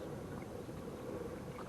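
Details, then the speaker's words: Hammerhead Bull Shark pedal kayak drive after sanding a small bump and touching up with spray paint: steady soft water churn, the previous creak totally gone. "the creek the noise in the drive totally gone now"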